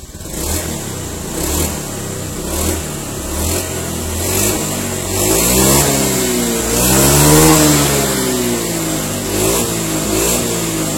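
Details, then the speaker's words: Honda Beat ESP injection scooter, 2016–2017, after repair of a low-rev stutter on initial throttle: no MIL or fault codes. Repeated throttle blips about once a second rise and fall cleanly without hesitation, and throttle and RPM are now balanced and normal. "Alhamdulillah ya, ini udah normal kembali ya, tidak ada kendala."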